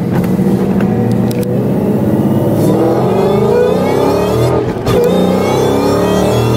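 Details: 2016 Mustang GT with Whipple supercharger after installing Foster Stage 2 whine mod sound tube (1-inch hose), freeway pull where whine kicks in over 3,000 rpm; high whine climbs steadily with revs, loud and clean over exhaust; normal supercharger whine.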